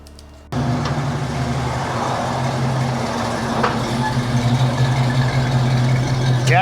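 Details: 1979 AMC AMX V8 after exhaust repair at a muffler shop for a failing system that had backfired and got louder; deep steady burble pulling away smoothly, even exhaust pulses, no rasp or rattle; normal exhaust note.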